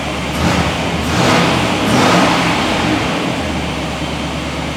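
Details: 1999 Chevrolet Suburban 5.7 after replacing a stripped distributor gear that caused a crank no-start: clean rev rising and falling back to a steady idle, no stumble or popping; engine now running normally.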